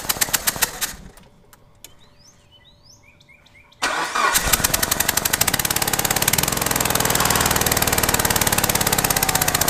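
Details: Mitsubishi Evo VIII started after sitting over a year in garage; after a few seconds of cranking it catches and idles with a steady knock of roughly three to four per second, smelling super rich. Cause unclear.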